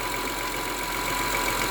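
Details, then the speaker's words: 2003 Honda Accord V6 at cold-start idle: a thin, steady power steering pump whine over an even idle, expected to grow louder as the fluid heats. The owner suspects the pump and plans to replace it once the noise becomes unbearable. "The whining noise is not so noticeable right now. I guess once the power steering fluid gets hotter, it will be more audible. But the wine is definitely there."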